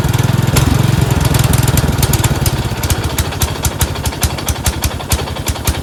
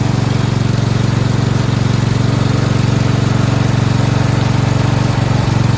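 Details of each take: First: Four-wheel-steering riding mower tractor, single-cylinder engine, after ground fix: after 3–4 minutes running it surges, rough then speed swinging up and settling; debris floating in the carburetor bowl suspected of blocking the passage intermittently, likely dirty carburetor causing surge. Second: Four-wheel-steering lawn tractor "Rodimus Prime" with Nikki carburetor, after carburetor and fuel line replacement and ground fix: steady, even low single-cylinder putter with no misses, knocks or hunting, starts well; normal idle.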